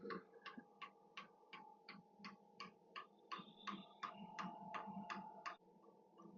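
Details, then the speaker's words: Hcalory Toolbox 8 kW diesel heater, constant power mode, at startup. Sharp regular clicks of nearly three per second over a steady fan hum, which is the fuel pump ticking normally while priming the line before ignition. "So you can hear it clicking, and I do hear the fuel pump clicking, and I think it's just trying to prime the line."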